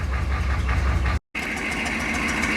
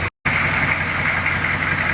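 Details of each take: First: Lowered 6.2 diesel Suburban at idle with a terrible exhaust leak: a sharp, regular puffing tick rides over the diesel clatter in time with firing. The fix is replacing rusty pipe with pipe from the junk pile. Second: 6.2 diesel Suburban at idle, cranked up after the exhaust repair: steady, even idle with busy mid-high clatter and no puffing or ticking. It sounds healthy, though the mechanic thinks it might still have a leak somewhere.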